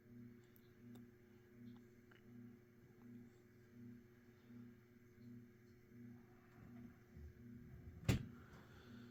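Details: Mid-to-late-1980s Saff Enterprise Flush Polo 52" hugger ceiling fan, 3-speed and reversible, on low speed (a bit fast): a steady low hum with motor harmonics and even pulsing, no rubbing or clicking. Normal fan motor hum.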